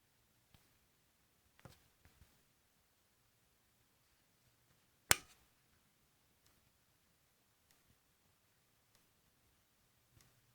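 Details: Corsair AX760 power supply with nothing connected but the power cable: faint sharp ticks at uneven gaps of about a second, one louder snap, in a quiet room; ticking cause unknown.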